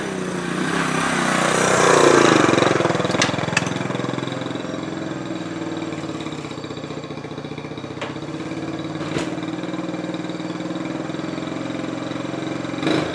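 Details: 1968 Honda Trail 90 that sputtered on the road, after the sticking carburetor slide was fixed: the small single settles into a steady, even idle after a blip, with an unbroken beat and no stumbling. It is running properly.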